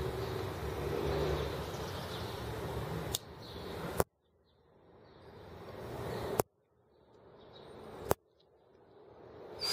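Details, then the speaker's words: Small engine (R18) running on a new replacement ignition: sharp irregular snapping clicks, about four a second, as the spark arcs around the outside of the plug insulator rather than igniting; plug needs better insulation. "oh yeah I can hear it arcing around the outside kind of see it again"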